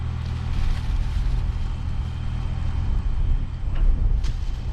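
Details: Combine diesel engine with a deep, steady rumble at an even pace, no misses, knocks or stumbles, running normally.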